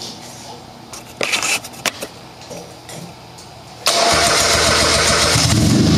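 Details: Turbo buggy, ice-cold engine after setting fuel-level lag factor to maximum 15, aimed at engine dying right after starting: a few clicks and cranking, catches at four seconds and holds a steady idle without dying.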